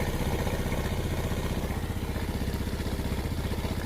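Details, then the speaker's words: Yamaha Vega ZR engine just rebuilt, first start with the choke on giving a raised idle. A fast, even putter with no knocks or clatter; the engine is smooth and oil is spraying up when checked. "Jadi, gede langsamnya. Oke, ini udah nyala dan mesin udah halus, oli nyembur."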